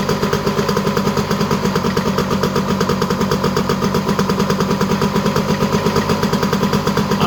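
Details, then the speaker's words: Honda EZ90 Cub single after restoration, running once the petcock was set to run; even quick putter with no stumbles, idle a little high. "a little high, but we'll let it run a little bit."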